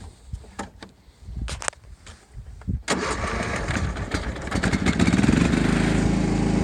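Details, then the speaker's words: John Deere LT150 rider mower, Kohler 15 hp single-cylinder air-cooled 4-stroke, 12V battery weak and not well charged; starter drags the engine slowly and unevenly for a couple of seconds before it catches; slow cranking from weak battery. "The battery's kind of weak. It's not had a good charge, so I'm going to take care of charging it up here"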